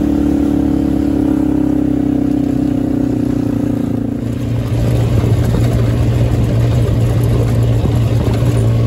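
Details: Hammerhead GTS 150 go-kart GY6 engine after a big bore kit; it was smoky and down on power before. Smooth buzzing note drops and climbs cleanly with throttle, no knocks or misses. Normal running, faster and working better.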